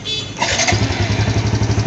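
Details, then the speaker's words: Yamaha Jupiter Z1 fuel-injected motorcycle that had blinking injection MIL light (code 22), fixed by fitting a good battery: quick electric-starter whir, engine catches at once into an even steady idle thump; clean normal start, electric starter now working. "Jadi, masalah sebenarnya hanya baterai, dan sekarang sudah hilang, kan? Dan sekarang starter elektriknya juga berfungsi."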